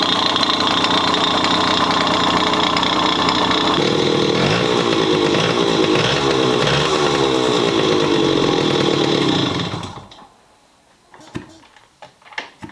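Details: Bored-up Yamaha Chappy 50 two-stroke at idle with a loud raspy uneven clatter, then cut off; owner suspects crank or head, cause unconfirmed.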